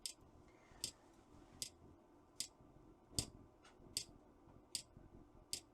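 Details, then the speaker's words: Trojan treadmill control board DCMD67: sharp dry relay clicks repeat about every 0.8 seconds over a quiet hum; control supply voltage drops out, so the microcontroller keeps restarting and cycling the relay through the optocoupler, the known clicking-relay fault. "So the microcontroller is trying to start, bring the relay in, the microcontroller stops, brings the relay out."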